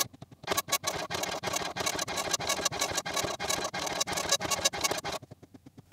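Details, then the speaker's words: Commodore MPS 1500C colour dot matrix printer driven from an Amiga, final test after cleaning and restoration, ground cable not yet reconnected: steady rasping bursts about five a second with short pauses between passes, even and unbroken; print head working normally. "the printer works just fine and i'm happy with that"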